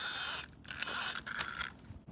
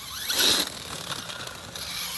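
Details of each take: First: Axial Ryft RC crawler with a Castle motor system, front sway bar link loose, crawling over rocks: light, steady electric motor whine under tyre scrabble and rock scrapes; normal. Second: Axial Ryft RC crawler on 4S after diffs were serviced, pulling away: rising motor whine with a raspy, zipper-like ratchet over it; drivetrain ratcheting noise.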